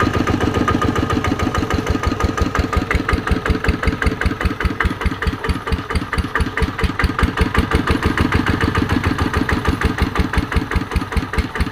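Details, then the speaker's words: ET110 single-cylinder diesel after rebuild with reground crankshaft, now at normal working speed; even, steady thump with no knocks or misses; white smoke on acceleration cured, engine running normally. "รอบปกติครับเคครับอ่าปกติดีฮะ"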